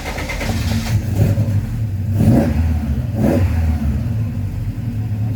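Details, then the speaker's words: Vauxhall Firenza HPF with Lotus engine conversion, just started before first drive, distributor timing recently adjusted: lumpy surging revs that fall back unevenly; rough running, owner suspects timing advanced too far. "adjusted the um timing on the distributor a little bit I thought it was running a bit too rough and it sounds like I've uh taken it a little bit too far"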